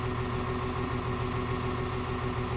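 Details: CAT 950H wheel loader diesel, just started, error code 36 for number one injector open circuit: heavy idle with a lumpy, uneven beat where one pulse keeps dropping out. Number one injector not firing, so misfire and low power.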